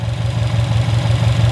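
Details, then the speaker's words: 2018-2021 Subaru STI with new OEM-spec Type RA block, first heat cycles, only turbo inlet, intake and air-oil separator modified: boxer idle with steady low thrum and faint repetitive knock on each pulse; usual on fresh RA blocks, fades after a few heat cycles. "they just have like this weird knocky sound to them it's so weird like Subarus are kind of loud engines but"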